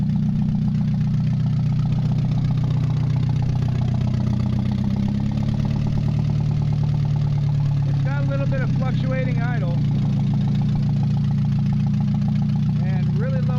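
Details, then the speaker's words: Mazda 626 first start after cylinder head reassembly, warming up: idle keeps hunting up and down with an uneven, wandering beat, some knock and heavy vibration; fluctuating idle, owner suspects bad EGR or old gas. "it shouldn't be kicked in right now but the fluctuating idle is uh could be really old gas starting toit here some knock a lot of vibration going on there"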